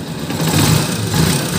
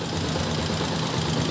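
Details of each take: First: Honda TMX 125 series 1 (2015-2016) idling after valve clearance reset to 0.06 mm, previously ticking loudly even cold from excessive clearance; even, steady single-cylinder beat with no valve tick left, healthy idle. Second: Honda TMX 125 series 1 single-cylinder, about 7–8 years old, cam-area O-ring just replaced, kick-started cold: fast, sharp ticking over the low thrum, loud even when cold; valve clearance to be checked, excessive clearance suspected.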